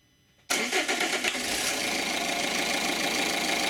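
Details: 1.9 CDTI diesel (Zafira/Astra/Vectra) with code P1125, starting into a busy, uneven clatter and rough shake; faulty throttle valve.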